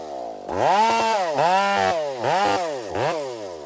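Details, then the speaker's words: Chainsaw on a hazard-tree removal screams at high revs, then bogs and recovers with each cut. The pitch dips and climbs unevenly under load, consistent with running rich. "friends listen very carefully to the RPM change here in a minute just listen"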